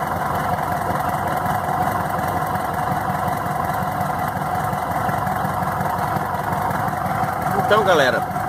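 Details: VW Beetle (Fusca) engine after replacing a very dried-out, overage belt that was causing a strange noise. Steady, even running with a smooth rev near the end and no squeal or chirp from the belt drive. Noise gone; normal running.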